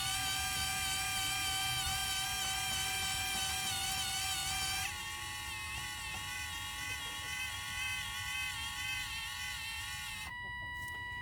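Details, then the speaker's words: Run-Chicken automatic chicken door on test button: it tried to close, hummed against something blocking the door, stopped, then the motor raises the door back with a thin whine dropping in pitch and cutting off; normal. "Okay, there we go, and now it's gonna bring itself back"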